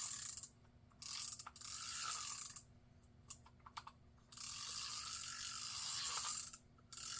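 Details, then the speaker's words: Garcia Cardinal 754 vintage spinning reel after anti-reverse repair: short bursts of ratcheting clicks as the handle turns with a slightly rough gear grumble; bearing good, play in the pinion shaft. "Like I said, just a little bit of gear grumble in there. The bearing's good. Here, just a little bit of gear grumble."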